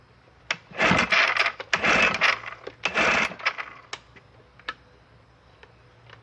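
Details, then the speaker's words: 1968 Evinrude 9.5 HP outboard, stored since 2016, fresh mix, choked: several pull-cord cranks without firing; no fuel reaching motor, varnish in carburetor bottom, high-speed jet likely stuck; finding: no-start from fuel starvation. "uh motor wasn't getting any fuel all kinds of Varnish in the bottom of the carburetor most likely the highspeed jet is stuck"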